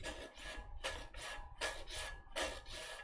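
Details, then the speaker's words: Anet E12 3D printer bed leveling, knob turned no more than 1/8 turn each time: soft rhythmic scraping of paper under the nozzle, dragging lightly without binding or catching; correct nozzle gap. "it is dragging, but it's not binding it up. I'm not grabbing the paper. I'm just very lightly holding the paper."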